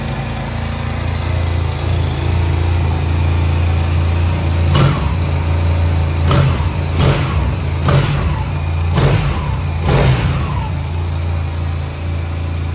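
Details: Honda Silver Wing twin scooter that wouldn't start, running after new spark plugs fitted, before idle and synchronisation adjustment; fires and settles into steady idle, several sharp throttle blips rising and falling cleanly — normal running after start.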